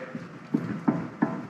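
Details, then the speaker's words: Roxor axle shaft reassembly, end play check after tightening the outer nut: dull knocks about three times a second as the shaft is pushed in and out. Less play than before tightening, audible but barely felt, so end play is within spec. "The backlash or the end plate should be, you hear it, but you don't really feel a whole lot of it. If you can really feel it, you got too much. So that's good"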